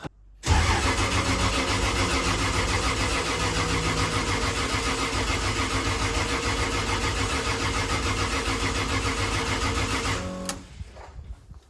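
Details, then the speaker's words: Freshly rebuilt 2JZ in a KE70 Corolla, cold start probably below 10 degrees: starter spins steadily about ten seconds but it never fires; cured by cleaning corrosion from a sensor connector plug. "Why no start? Normally it kicks into gear straight away, so what are we missing? I've probably forgotten something. Come on, Jared, let's do some braining. Okay, of all things, I found a little bit of corrosion in this plug, so I just pulled it apart and cleaned it all out, and it just fired up."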